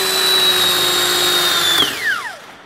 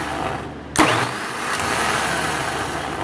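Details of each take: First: New rebuilt starter for a MaxxForce DT diesel on a bench test, compared to a 10-year-old dragging MaxxForce 7 starter: smooth high electric whine holds steady and winds down evenly; spins freely, no dragging or grinding. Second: 10-year-old starter from a 2008 MaxxForce 7 diesel, bench tested: two cranking bursts of rough dragging growl with a rattly edge instead of a clean whir; nasty worn-out starter, likely worn bushings, compared with new rebuilt unit.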